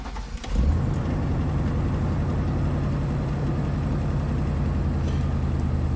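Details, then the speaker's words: 1998 Chevy Silverado 2500 5.7L V8 with P0463 and P0507 codes but no misfire code: cranks and settles into deep idle with a constant misfire on cylinder five, driver bank third back, confirmed loaded in gear; very bad spark plug seen. "number five right there why is it not setting a misfire code for number five i don't know let's put it in in gear load it a little bit constant miss on number five"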